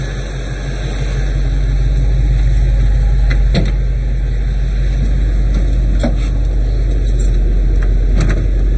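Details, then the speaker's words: 46-year-old car "Suzy" idling warm after radiator replacement and coolant bleed, heater on hot, fan belt just tightened (was loose) and transmission topped up; steady low hum, light background clicks, no ticks or squeals, no leaks; normal warm idle. "got no leaks looks pretty good nothing's dripping anywhere she's looking nice sounds good again"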